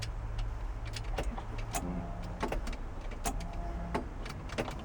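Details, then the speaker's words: 1969 VW Fastback sitting 19 years, on a jumper pack at key-on: a few sharp, irregular clicks with no cranking, probably the fuel pump. "keys in it something made noise some stuff's clicking you"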